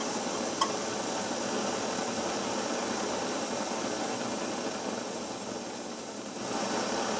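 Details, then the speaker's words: Svea 123 backpacking stove just lit, not fully primed, tank still heating and not pressurized enough: steady soft hissing roar, no pulsing or sputter, slightly weak, normal warm-up. "Like I said, the more you heat the tank up, the more pressurized it'll become, and the better it'll produce a flame. This thing isn't pressurized near enough yet."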